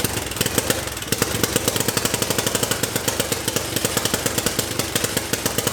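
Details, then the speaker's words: Homemade turbocharged 660 lawn mower on first test run: sharp, rapid, slightly uneven single-cylinder firing pops, rough and untuned; it shut itself down, then smoked with oil leaking from unknown source. "what happened hahaha hey why did i shut down"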